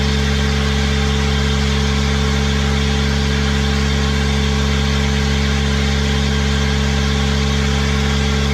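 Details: Kubota diesel with a 1006-tooth ring gear, started using a new starter with an 8-tooth pinion: steady, even idle with a firm low hum and no knocks or misses; the engine runs sweetly.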